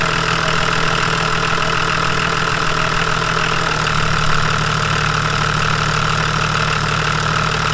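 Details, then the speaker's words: Volvo 740 D24t turbo diesel at idle, Bosch alternator: knocking idle deepens and slows halfway as key is switched on and alternator takes charging load; 13.9 V confirmed charging. "yeah the key wasn't on I heard it bogged down so I'm gonna guess it's charging oh yeah 13.9 let's go"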